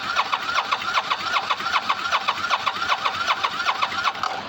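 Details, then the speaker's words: Motorcycle that sat 4 months since last run, fresh fuel added: steady fast starter churn, about 2.5 strokes a second with a whirring pitch, never catches; cranks without starting. Owner suspects failed fuel pump, sticking starter solenoid and battery. "I put fresh fuel in here, but this thing's been sitting up for 4 months since it last uh was fired up. So, um, yeah, I need to get another fuel pump and I need to get another starter solenoid."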